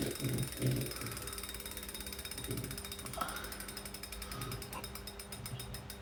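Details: Kickr Core trainer spinning with a quiet rough grinding whir and ratchety ticking about two or three clicks a second; grinding noise.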